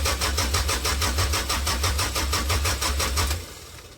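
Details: 1998 Toyota Camry after new tank, fresh gas and fuel-line work, fuel pump suspected: starter spins the engine at about three even pulses a second for several seconds but it never fires; crank-no-start, cause unknown.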